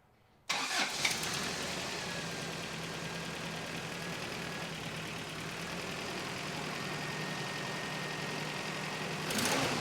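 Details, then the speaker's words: 1993 Toyota pickup, engine reassembled from an abandoned project, with the distributor a tooth off: fast, slightly uneven idle with a stumble and an exhaust leak. No engine knock; moving the distributor cleared it up a bit. "Alright, I think I need to move the distributor one more tooth. Couldn't quite figure out why it had that weird stumble, but I moved the distributor all the way down again and it seems to clear itself up a bit."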